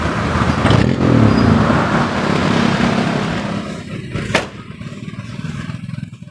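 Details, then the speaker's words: 1990 Daihatsu Charade CX petrol three-cylinder, used car for sale: engine fires and settles into an even, steady idle with no knocks or misses, described as very smooth; normal healthy idle. "Wah ini kita udah nyalain suaranya Emang bisa halus buat kayak gini ya ini benar-benar kalau menurut saya sih ini suaranya halus"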